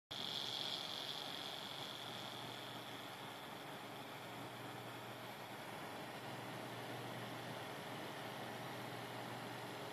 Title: AMD A8-6600K cooler - strange noises